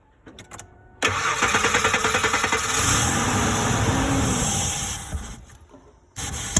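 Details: 2003 Ford F150 cranks and catches into an uneven, loping idle with a hissy, airy edge; a bad intake manifold vacuum leak.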